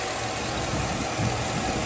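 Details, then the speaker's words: 2007 Chevrolet Tahoe V8 idling rough with code P0307: lumpy, shaking idle from a cylinder 7 misfire that persisted after new plugs, wires and coil; cause found to be a collapsed AFM lifter. "got that thing just shaking that's crazy misfire"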